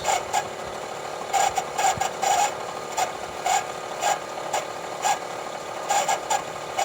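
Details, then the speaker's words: 1988 Soleq Evcort electric car, DC/DC converter after transistor repair under in-vehicle test holding 14 volts at 9.5 amps: steady hum broken by short, fairly regular squeaks about every second as the power-brake vacuum pump runs and squeaks. "It's holding 14 volts, 9.5 amps. That's the vacuum pump for the power brakes running and squeaking there."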